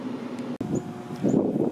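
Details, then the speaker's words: Indoor air handler in cool mode, set below 70 with room at 80, air lukewarm: even rushing blower airflow, no rattle or squeal; blower runs normally while outdoor condensing unit only hums (bulging run capacitor found). Normal blower operation. "so as you can hear the air handler the inside unit it's running you can hear the blower"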